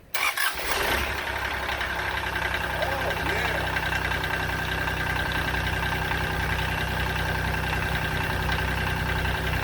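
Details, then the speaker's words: 2006 Kubota BX23D tractor, D905 three-cylinder diesel, after valve adjustment: brief crank following four-second glow plug catches quickly, then a steady even idle; the earlier valve clanking is gone and it sounds much better. "so well i could tell right off it sounded a whole whole lot better"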